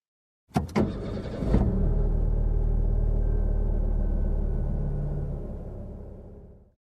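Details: Petrol engine keeps chugging unevenly about five seconds after switch-off, then coughs and dies: run-on (dieseling). Possible causes listed are wrong spark plugs, bad petrol, or an overflowing carburettor. None is confirmed.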